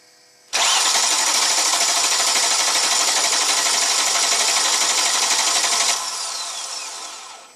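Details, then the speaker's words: 2004 Chrysler Crossfire off the road over a year: the starter whirs evenly with compression pulses for about five seconds but the engine never catches. Crank no start; owner suspects the crankshaft position sensor, unconfirmed, and plans to retest cold. "let's just crank it over see if we see RPM signal on the scanner all right here we go let's see if it'll start or if we see an RPM"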